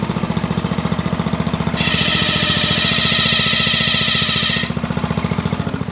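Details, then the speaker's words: Coleman RB100 mini bike small engine idling, then a harsh steady scraping when the bike is tilted to the side, as the flywheel fan rubs its shroud despite the shroud bolts being loosened. "i don't know if you'll be able to see it but that little white fan there you can see it was rubbing up and it's hitting something in there"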